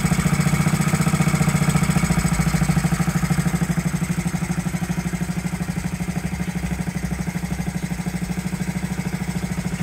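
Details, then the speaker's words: 1969–70 Honda Z50 minibike idling after 35 years unused, with idle air being adjusted, points and carburetor not cleaned; even, soft regular single-cylinder idle, settling slightly lower midway, runs clean. "there you have it running after 35 years first like a kitten didn't even have to clean the points or the carburetor amazing"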